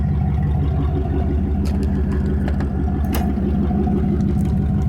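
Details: 1991 Camaro RS 305 V8 at idle with throttle blips: lumpy uneven idle stumbling a few times a second; bad injectors and blown head gasket, overheats quickly.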